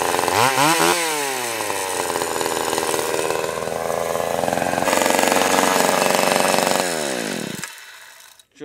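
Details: Stihl 020 AV chainsaw, first cuts after a carb rebuild, new gasket, clutch, chain and nose-bearing bar: crisp rev-ups, then it holds high speed under a steady cut and winds down cleanly; runs strong, idle turned up once warm.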